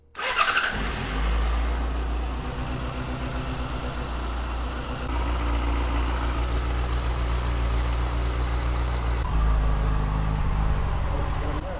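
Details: 2007 Yamaha FZ6 started after swapping the ITB rack and injectors: lumpy idle with uneven beats and drops, still misfiring; the ITB swap didn't fix it.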